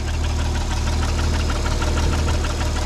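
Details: Nissan 300ZX convertible petrol V6 idling after work during misfire diagnosis and injector testing: steady, even low rumble with no misses or stumbles.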